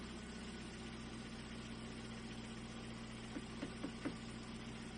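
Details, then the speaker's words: Ford Fiesta 3-door petrol running just after an oil change. Smooth, steady low idle hum with no ticking, knocking or hunting; sounds good, engine idles healthily on fresh oil. "That sounded good. Doesn't it? Well, let that run for a little bit."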